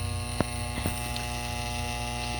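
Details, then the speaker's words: Furnace induction fan switched on to test whether it turns: steady electrical hum with grinding scrapes and clicks but no fan whoosh, because the inducer motor is seized and has failed before. "sounds like it's not going to turn because all that grinding noise in here that's this making that noise i can feel it too"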